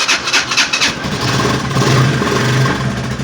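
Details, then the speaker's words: Italika Vortex 250 single-cylinder after half engine rebuild, brought in for engine noise, refilled with oil: catches after a few cranks, steady even beat with no metallic knocking; noise was a loose nut, now gone, though it seems poorly carbureted. "ven no tiene ruido bueno el ruido habitual de esta moto queada per no tiene ese ruido"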